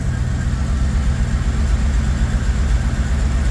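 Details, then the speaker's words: 1982 Pontiac Trans Am, Crossfire injection V8, abandoned 30 years, first start after brake line repair, cold: low, uneven, lumpy idle about eighty pulses a minute; slightly rough, expected after long standing. "Little rough, but that's to be expected."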